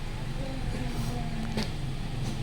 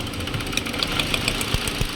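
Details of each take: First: 2018 Hyundai Accent 1.4 after cleaning the throttle: a low, even idle with no hunting or dips, where rpm had earlier wandered and dropped around 1000; idle now stable. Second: 2018 Hyundai Accent 1.4 with idle going up and down and stalling, before repair: uneven idle with irregular low thumps and stumbles, engine hunting; misfire traced to failing ignition coils arcing.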